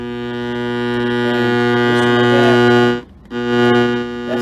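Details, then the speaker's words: Late-1930s Lectrolab (Sound Projects Company) tube amp after a partial restore, run on a variac with a signal-generator test tone. The tone is clean and steady with no mains buzz; the earlier horrific hum is fixed after replacing failed filter caps. "And yeah, pot needs cleaning, but it appears to be working now without that horrific hum that it had before."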